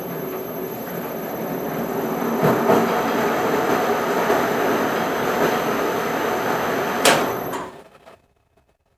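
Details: Powermatic 90 wood lathe, dated around 1959–1960, restored and fitted with a variable frequency drive and speed potentiometer: even whir with a faint high drive whine, no knocks or grinding, then spins down and stops cleanly; healthy lathe.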